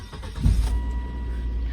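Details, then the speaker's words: Cheap, neglected Volvo with several dash warning lights on: it catches on the first short crank and settles straight into a low, steady idle with no misses. Starts and runs normally. "starts right up, runs pretty good, can't complain."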